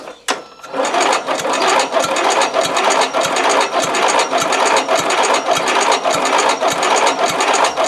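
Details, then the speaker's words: New used 12.5 HP engine on a garden tractor: fast, even cranking chuff with no firing; carb bowl barely wet, almost no fuel, float stuck from long disuse. "Elle était à peine mouillée il y avait à peine d'essence de temps Du coup j'ai joué un petit peu avec le flotteur il était resté grippé parce que ça faisait longtemps que j'avais pas qu'i"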